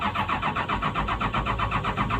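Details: PC200-8 common-rail diesel: even starter cranking at roughly six pulses a second with no firing. Crank, no start, no rail pressure due to a defective common-rail pressure sensor.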